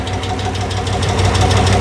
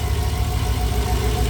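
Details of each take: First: 1964 Chevrolet Biscayne on its first start in over 50 years: rough, uneven idle with quick ticking on top; lifters not yet pumped up, possibly with an exhaust leak. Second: 1964 Chevrolet Biscayne, first start in over 50 years, running on 102 fuel and needing tuning: steady low idle with the lifter tick gone (likely exhaust leak and/or lifters pumping up), slightly rough, faint whine; noisy aftermarket fuel pump.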